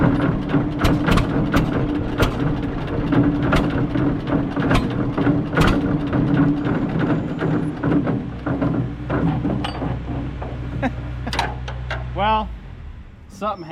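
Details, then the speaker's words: Barn-find John Deere 630 tractor shortly after first start, ticking suspected from manifold leak: uneven, loping putter with irregular beats that falters and cuts out; stalling, dirty carburetor suspected. "Sounds like the carburetor just might be a little dirty."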